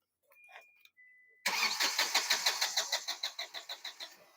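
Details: Diesel car cranking while checking fuel delivery, rail pressure not building up, high-pressure pump found OK: starter cranks evenly at about three compression strokes a second for three seconds and never catches; suspicion falls on injectors.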